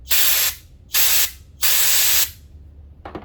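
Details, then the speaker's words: Refilling a 1 lb propane bottle: after the fill hiss stops, valve off and tank removed, three sharp half-second hisses as the valve is pressed to purge excess air; takes five or six cycles to fill. "all right now once you don't hear that anymore turn the valve off take the tank off you want to purge that a little bit excess air"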